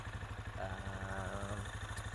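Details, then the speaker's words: Benelli Imperiale 400 single, twin spark plugs, stock exhaust with baffle kept in: quiet even thump about ten beats a second, no misses or tapping; normal smooth idle. "saja. Jadi biarlah suaranya kayak gini aja, jadi nggak terlalu bikin tetangga marah itu suaranya."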